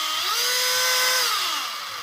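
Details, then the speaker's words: FLY Renault 5 Turbo 1/32 slot car after lapping crown and pinion gears with toothpaste, run at low setting: clean high motor whine rising and falling with throttle, no grinding or sticking; drivetrain now much smoother. "but you can even hear yourselves that sounds a lot smoother"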